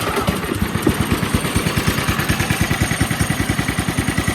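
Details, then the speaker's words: Polaris 110 kids snowmobile, single-cylinder, after carburetor replacement and governor linkage simplified to a direct throttle rod; starts and chugs at an even seven or eight pulses a second, a steady, smooth, healthy idle. "start and idles just perfect"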